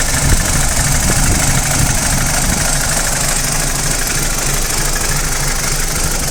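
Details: BMW 320i E90 N46 warm engine idling unevenly with a loose rattle and stumbling beat, only when warm not cold, despite new timing chain, guides and tensioner; owner suspects VANOS unit or solenoid.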